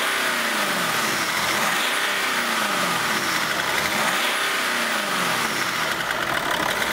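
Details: BMW X5 E53 idling after the EGR valve was refitted along with the intercooler pipe, vacuum tube and EGR clamp. Even, steady note with slight revs and no knocks, ticks or rattles: normal idle.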